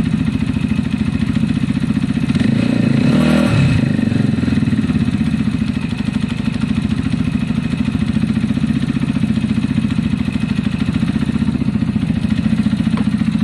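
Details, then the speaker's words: Zontes EFI motorcycle with a fuel-injection cutting-out problem, idling after the choke went off: an even, steady idle thump with a faint light tick, no misses or hunting. It sounds much better. "i think it sounds much better to me already and actually i technically i can hear the tactics a little bit"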